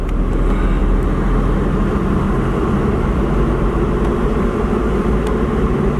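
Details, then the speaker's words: 20-year-old 2001 Jeep Cherokee Sport 4WD automatic on a test drive, check engine light on: steady engine and road hum, no clunk or flare; transmission shifts perfectly and overdrive works. "Tranny shifts out perfect. Overdrive works fine."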